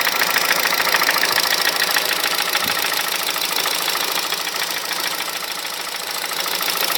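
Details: 2006 Honda Civic Hybrid 1.3 IMA at idle: light, fast ticking knock, about three or four per second; goes silent above 2200 rpm. Owner suspects camshaft, valves, bearings, timing chain or piston slap; cause unknown.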